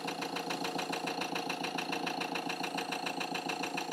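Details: Ford Transit Custom diesel idling after repair of a fuel pump circuit fuse connection fault that caused repeated breakdowns, fuel pump voltage now constant: an even diesel clatter at a steady, quick beat that holds without stumbling or hunting, sounding healthy.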